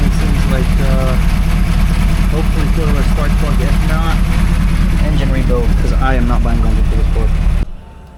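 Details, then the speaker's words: Car at auction: rough, uneven idle with irregular stumbling beat and shaking low thump, everything visibly shaking. Misfire at idle, cause unconfirmed. "You can see everything shaking from the misfire."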